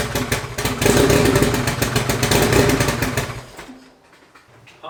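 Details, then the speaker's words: Honda Civic, freshly built four-cylinder LS VTEC engine, Precision 5858 turbo reinstalled: choppy lopsided idle with missing beats, about two cylinders firing, then shuts off. "Sounds like it's only running on a couple cylinders. That's not good. It's really not good."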